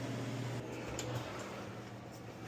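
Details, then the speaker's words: Frigidaire Professional double oven after convection fan motor replacement (old one had rough bearings): low steady hum with faint even whir, no scraping or ticking; new fan runs smooth and quiet. "And we hook our cords back up. Oh yeah. Nice and quiet."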